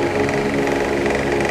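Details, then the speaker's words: Asahi electric fan, noisy after a prior technician's repair, with head fixed: steady motor hum with faint regular light knocks; knocking on steady setting stops when oscillating; bushing play checked, clearance fairly large. "bakit ganito ang electric pa na ito pag naka-steady maingay pagka nagswing Nawawala ang ingay"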